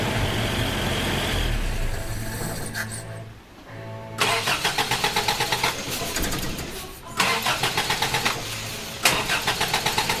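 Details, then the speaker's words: Toyota Hilux carbureted engine after ignition module was shorted: bursts of steady rapid starter cranking that never catches, rough sputter between; cranks but won't start, owner suspects fault in keyed 12-volt supply to ignition coil. "you can hear it like there is no starting like while I'm cranking the motor there is no starting that motor whatsoever"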